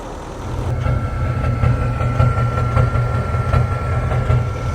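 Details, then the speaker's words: Cummins diesel Nissan Titan, CP4 pump, low fuel pressure light and check engine light: rough uneven idle with a bump-like knock about once a second and smoke; misfire, code injector circuit open cylinder 5. "Yeah. Listen. Yeah. There's the noise. It's misfiring."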